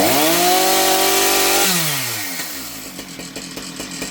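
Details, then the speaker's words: Husqvarna 455 Rancher chainsaw, previously bogging, after correcting misrouted purge and fuel lines that flooded the carburetor: winds down from a high buzzing rev into an even popping idle without stumbling; runs normally. "Well guys, I think we have pretty much solved the problem of the 455 Rancher."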